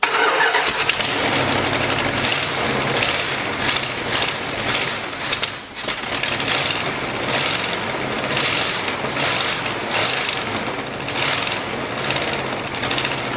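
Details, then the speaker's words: 1986 Dodge Ramcharger, carburetor left outside in the rain with its accelerator pump possibly not working, first run during rebuild: it catches and runs but surges in uneven waves and won't settle. Rough running, will not idle. "it doesn't want to idle but it does run"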